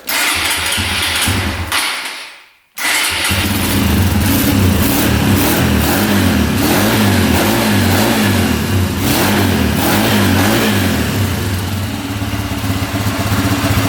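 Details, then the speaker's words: Mostly stock Honda machine started on jumper cables: the engine catches at once and revs up and down cleanly with an even beat; it starts well, though fuel is leaking. "oh it's fired right now all right that sounds pretty good"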